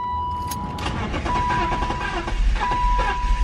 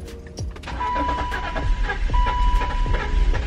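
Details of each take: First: BMW X5 cranking with a fresh battery: steady rhythmic cranking with a few uneven catches and a chime, but it never runs. Not the starter; spark plugs suspected. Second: BMW X5 at key-on, listening for the fuel pump: a thin steady whine near one kilohertz for a few seconds over background noise; the fuel pump appears to prime normally.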